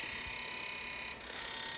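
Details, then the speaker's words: Rotary engine with M4 engine management, injector test menu, primary number one injector: rapid even clicking at a steady rate over constant electrical hiss; normal injector clicking. "I'm going to set to run number one primary first you can hear it's cycling that's a good sign"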